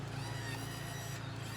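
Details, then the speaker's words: Johnson 88 outboard trim and tilt motor after remounting on a new transom mount (old tilt motor was rotted out): quiet, steady electric hum at constant pitch, no grinding or straining as the motor tilts up and down; normal operation. "go up and down look at that it's pretty cool get it all nice and working very nice"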